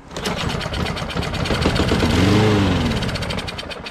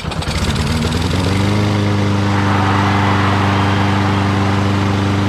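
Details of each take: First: Curb-found, water-flooded Lawnboy RWD mower: the small engine catches and sputters briefly on contact cleaner, then dies; runs only on starting fluid, owner suspects a dirty carburetor is stopping fuel from reaching it. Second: Lawn-Boy RWD mower, previously water-flooded, first start after carburetor bowl cleaned and refueled: catches on first pull, rises quickly and settles into a steady, even idle with no misses or knocks; runs healthy.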